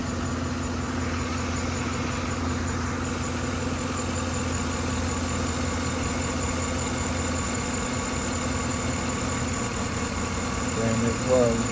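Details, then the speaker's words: 2013 Silverado 5.3L idling with P0300/P0521 codes and a blinking engine light: a steady drone with an uneven hitch. Cylinder 1 compression was about 110 versus 131; swapping plugs moved the misfire to cylinder 1, traced to a cracked spark plug. "Misfire moved to number 1. So it's definitely that plug."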